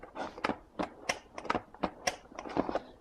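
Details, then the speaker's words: Saitek Cessna flight yoke, second unit: sharp, uneven little clicks about three a second when turned clockwise, not counterclockwise; owner unsure if normal or a defect. "the only difference is it will make noise when I'm turning clockwise not counterclockwise"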